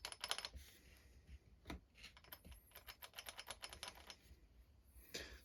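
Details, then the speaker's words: Losi 8ight nitro truggy with a Dynamite .28 engine, clutch repair: the spur gear is rocked by hand, giving light, crisp clicks with a hair of play. Gear mesh backlash set correctly. "sounds just right right there you hear I'll take that in there's just a little bit but there is some that's what you want"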